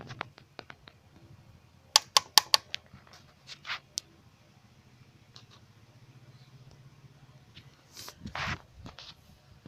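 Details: D4Cb diesel at idle, before repair: sharp, irregular metallic clicks and bursts of clatter over a low, steady idle from a worn outer timing chain. Replacing the outer chain removed the rattle.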